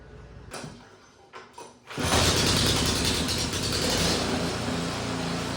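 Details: Fire-damaged Poulan Pro snow blower after gas leak, oil spray and belt repairs, testing belt engage/disengage after earlier belt burning: a few mechanical clunks, then the engine fires and settles into a steady, even run with no irregular noise.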